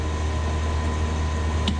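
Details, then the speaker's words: Carrier 30GTN chiller in test run, condenser fan motor 1 switched on, single contactor pulled in: low, steady fan motor hum with no grinding, squeal or rattle; runs normally. "Contactor pulled in. I can hear that condenser fan motor running."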